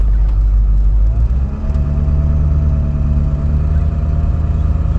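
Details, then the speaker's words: Ford 7.3L diesel truck after gasoline misfuelling was drained, driving around: deep, steady low rumble with no knocking, misfire or stumble; sounds healthy; normal running. "sounds healthy"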